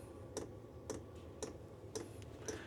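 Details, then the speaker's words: Chinese diesel heater, wall-mounted in a workshop, still cold during warm-up: sharp even ticks roughly twice a second over a faint fan hum; normal constant fuel pump ticking. "you can place it somewhere where you don't need to hear it or you just put up with it once the fun runs you don't really it doesn't really bother me"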